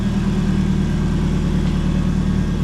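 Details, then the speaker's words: Ford Fiesta Mk2 Zetec turbo four-cylinder petrol engine, after refitting an HT lead that was loose on the coil: steady, even low idle firing on all four with no misses, running rich and needing tuning; normal idle. "I don't know about you, mate, but that purrs like a kitten. Bit of fuel in that, Matt, but look at that. I mean, it wants tuning, definitely wants a tune, but it's running and idling on all four."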